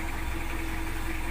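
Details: Diesel after replacing two busted glow plugs with used ones to fix hard morning starting: even low diesel rumble, steady tone, no misses or rough beats; idles smoothly and sounds healthy.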